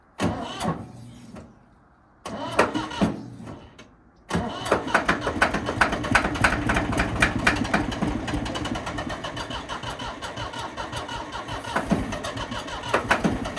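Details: Ford 3500 backhoe diesel that had been sitting a long time, freshly charged battery and starting fluid: slow starter grind about three turns a second, a pause, then ragged uneven firing that stumbles and won't settle; hard starting, later runs on own power.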